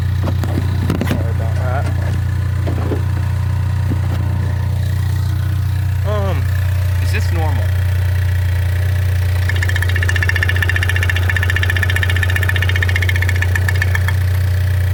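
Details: 2015 Ford Mustang 2.3L EcoBoost, 39,000 miles, MBRP muffler and catch can: steady low idle rumble with a faint airy hiss rising partway; owner suspects blow-by, with a stream of air from the crankcase, unconfirmed.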